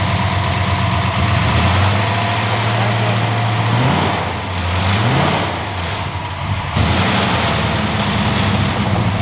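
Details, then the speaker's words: Ford F100 with a freshly installed 410 Windsor V8 (515 ft-lb at 3,700 rpm), first start: deep, even V8 burble rising cleanly on light blips and settling smoothly with no knock or miss; normal idle. "Dude, that sounds nice. Yeah. It's very smooth. Nice job. That's how working trucks sound."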